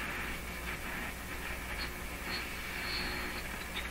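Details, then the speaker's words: Hallicrafters S-40A shortwave receiver with no antenna, only a wire loop shorting the antenna input, during power line filter capacitor experiments; steady hiss and static with drifting whistles, likely interference signals. "just picking up a ton of stuff this stuff basically no antenna on it some Loop of wire here shorting the antenna input this is either one hot radio or these are all interference signals"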